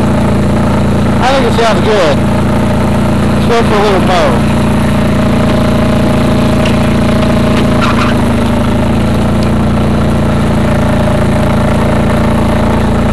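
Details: Craftsman GT6000 mower on a test mow after the deck-lift eyelet bolt was welded. Steady, even engine drone with a few handling clunks; the engine runs smoothly, though the foot switch is said to be bad.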